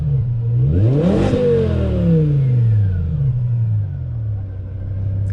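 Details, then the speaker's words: BMW E60 M5 S85 V10 test drive, temp about 210: strong rising pull, clean climbing note, smooth fall-off, exhaust rushing past restrictive mufflers, no stumble; normal acceleration. "I think put such a crazy amount of exhaust out, you could hear it just rushing. Those mufflers are definitely restricting it, because you can hear it rushing out the exhaust."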